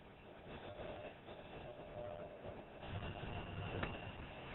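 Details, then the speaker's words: 3D Systems ProJet 6000 draining print tray: steady low hum and faint whirr of the material cart pump motors running normally, draining material from the print tray until the pump shuts off. "You'll notice that you hear the motors kick on. This is what's draining the material from the print tray."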